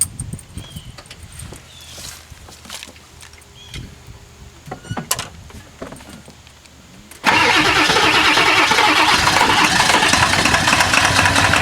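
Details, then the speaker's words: 1997 Ford F-250 XL 7.3L PowerStroke turbo diesel, cold at 65°F, bad injectors: several seconds of slow, uneven cranking, then it suddenly catches and runs loud and rough. Hard cold start with long cranking. "she go yeah just tough I don't know when yeah it could be here in a few minutes could be tomorrow"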